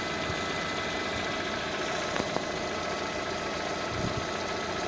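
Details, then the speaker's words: Lada Kalina 2 with a hot engine at idle and the clutch pressed. A steady idle hum with a few faint, irregular light knocks on top. The source is unclear, and the owner wonders whether it may be normal. "При выжатом сцеплении прислушиваются небольшие стуки. Только непонятно, что это."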